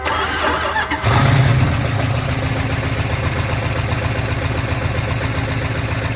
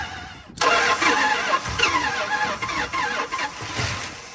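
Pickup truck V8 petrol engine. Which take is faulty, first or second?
second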